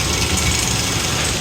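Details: Rebuilt Kelly Duplex 3-ton horizontal paddle mixer, heard beside the bowl gear and roller chain: steady whir of chain over sprockets with even gear mesh, no scraping or knocking; chain and gear drive healthy.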